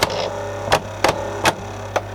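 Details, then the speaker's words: 1982 Philips D8323/10 boombox cassette deck during rewind, before new belt and pinch roller: low steady hum with irregular sharp clacks about every half second as capstan engages and it tries to go into fast forward; noisy, struggling drive, cause unconfirmed. "it's making even more noise there are the Capstone goes in does it it's trying to go in Fast Forward there for some reason the Capstone that's the Caps that make that noise and it stops"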